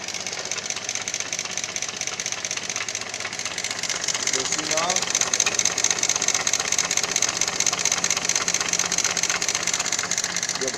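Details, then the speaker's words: 2014 Honda Lead 110 scooter engine at idle, no smoke. A steady, fast metallic rattle and ticking rides over the idle. Mechanic doubts the top end is the cause; sounds like a failed camshaft bearing, not confirmed. "está com um pequeno barulho aqui no motor entendeu E a gente precisa desmontar aqui para verificar o que pode ser"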